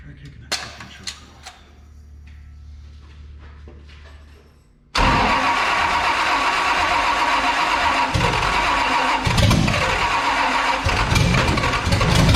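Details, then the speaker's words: 1973 Toyota Land Cruiser FJ40 with Chevy 305 V8, first start after sitting for years, with timing set, fuel primed, fresh oil and a borrowed battery: slow starter cranking, then it catches and settles into a steady, fairly even idle. "that sounded pretty damn good there though"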